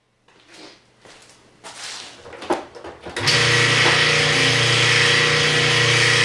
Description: Washer with a grinding noise, and will not agitate or spin.